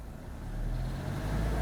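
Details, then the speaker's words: Manual car in first gear, clutch balanced with slight throttle while held by the handbrake: engine hum grows slightly louder and deeper as the clutch reaches the bite point, smooth engagement with no judder, normal. "Tu entends alors un tout petit peu le moteur monter dans les tours"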